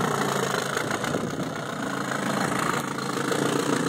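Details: 1968 Evinrude 9.5HP 9822E short-shaft two-stroke outboard, serviced for poor idle and hard starting, with corroded breaker points replaced and a new water pump impeller: steady, even idle with a smooth buzzy exhaust and no misses or knocks.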